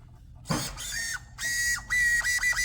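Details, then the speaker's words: Traxxas Blast RC boat steering servo: short bursts of rough buzzing with a high whine as it sweeps back and forth; it still turns but sounds terrible, likely failing. "it does turn even though it sounds terrible"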